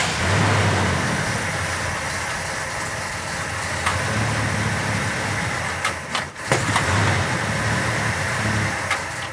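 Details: Richard Petty Superbird Mopar, not run since the 1970s, bottle-fed fuel with rotted fuel line and doubtful fuel pump: big engine running lumpy and uneven with stumbles and dips, likely fuel starvation; new fuel pump planned.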